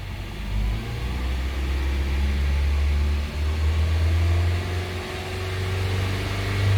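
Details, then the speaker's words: Honda City after valve adjustment and injector cleaning, engine held at 3000 rpm during idle relearn: smooth steady low hum at one even speed, no knocks or ticks; engine running clean and healthy. "se forem melhor partidinha após a regulagem de válvulas limpeza dos bicos agora você leva o carro a 3.000 RPM segura"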